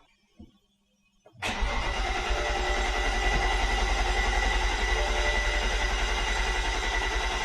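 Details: 2008 BMW 135i (E82, N54) first start after installing a Precision Raceworks Stage 2 fuel pump setup with a Walbro 450, before everything is tightened up. After a short crank it catches at once and settles into a steady, even, smooth idle with no misses.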